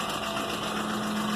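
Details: 2001 Ford Expedition V8 after timing chain and exhaust manifold replacement: steady idle with fast light ticking following engine speed; seven failed hydraulic lash adjusters on passenger-side head, oil passage blocked by oil adapter gasket plastic, not a manifold leak.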